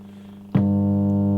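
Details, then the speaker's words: Hallicrafters S-20R tube receiver with bad filter capacitor removed from circuit: sudden loud, steady low buzz with strong overtones swamps the set; mains hum from failed filter capacitor. "That's crazy. That is how much hum there is. Wow, that's insane."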